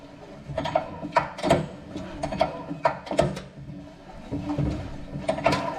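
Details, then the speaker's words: Briggs & Stratton engine on an Agri Fab leaf vacuum with only about 20 psi compression, pulled over by hand: scattered sharp snaps and clicks; owner suspects a broken ring, or a cam fault putting the valves out of time. "it might have a broken ring or something like that but you can kind of see if I pull it over you'll see that snap or hear it"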